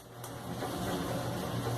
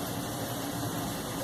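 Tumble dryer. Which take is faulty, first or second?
first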